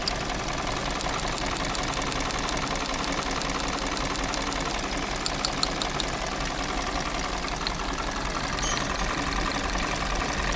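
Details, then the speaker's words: 2020 Hyundai Tucson petrol, 250,000 km, codes P0171/P2187, fuel economy 3–4 km/l, idles roughly with an uneven, stumbling beat and clattery top-end noise; severe misfire, ignition coil found shorted, spark plugs black from running rich. "और गाड़ी जो miss fire कर रही है उसके लिए हमने चेक करनी है इसकी इंजन कोयल।"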